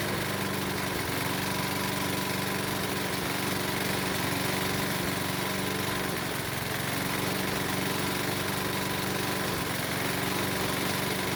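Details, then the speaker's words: Used Honda lawnmower engine bought with a rod knock, also burns a lot of oil and puffs blue smoke on cold starts; small single runs fast and slightly uneven with a hard rattling knock loud enough to need hearing protection. "unfortunately i found out that it had a rod knock the engine makes a knocking noise so loud that i have to wear hearing protection"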